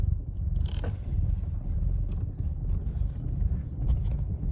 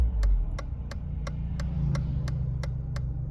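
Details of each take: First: 1993 Mercedes 220CE W124, M111 2.2, before throttle body and coil harness rewiring: a deep idle that keeps dipping and surging, with an uneven, lumpy misfiring beat. The crispy old wiring is suspected, not yet confirmed. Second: 1993 Mercedes 220CE W124 with M111 2.2 engine after new throttle body and coil harness wiring, warming up on old fuel: runs and revs smoothly with a steady hum and light even ticking, no misfire; rough running apparently fixed.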